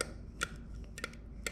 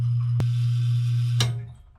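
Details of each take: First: House well pump next to a leaking pressure tank: a few sharp, irregular clicks from the pump's contactor over a low steady pump hum; the cause is unclear. Intermittent clicking. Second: Home well pump after pressure tank replacement: smooth, even low motor hum without surging while filling the new tank from about 40 psi, then a click as it cuts off at 60 psi; normal run and shutoff, no leaks.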